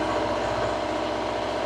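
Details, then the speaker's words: Reefer (trailer refrigeration) diesel unit idling after unloading, compartments C2 set to about 8 and C1 to 4; steady, even diesel drone with no knocks or rattles, normal idle. "bây giờ hãy tắt nó đi vì tôi đã tạo ra đủ tiếng ồn rồi, hãy hy vọng nó được nghe thấy vì với tiếng ồn mà nó tạo ra,"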